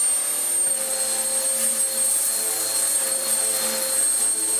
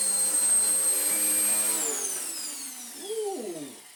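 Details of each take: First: Vax Power U84 vacuum after fixing its snapped, stretched, slipping belt: the brush roll now spins but there is no suction. Thin, airy high whine lacking a deep airflow rush; filters badly clogged. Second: Vax Power U84 vacuum after its off-centre belt problem, with the brush roll reassembled and a new belt fitted. Steady, even high motor whine that falls smoothly in pitch at switch-off; belt fix seems to work, normal running.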